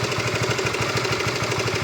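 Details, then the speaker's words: Honda RS150 V2 at about 80,000–86,000 km, cam chain tensioner never replaced: quick, even idle pulsing with low droning hum, sounding different; owner suspects a worn tensioner, to be replaced at the workshop. "Dia bunyi lain kan? Tapi cik tangga suspek kita kena tukar tensional sebab kita belum pernah tukar tensional."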